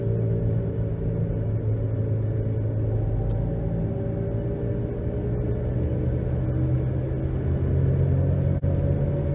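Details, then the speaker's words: 2011 Nissan Rogue at 50–60 mph on new balanced tires, noise persisting when coasting in neutral: steady low roaring hum with slight pedal and steering wheel vibration, from bad front wheel bearings before hub assembly replacement. "50. 60. A nice hum, some vibration in my pedal, vibration in the steering wheel, slight."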